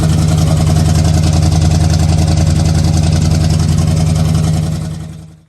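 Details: Square-body Chevy V8 with FiTech EFI, after a crank-no-start traced to flooding (wet plugs pulled, engine aired out): deep, even rumble holding steady for several seconds with no misses, then a clean shutdown; normal running.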